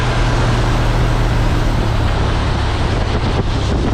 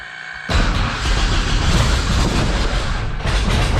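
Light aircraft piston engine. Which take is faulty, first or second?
second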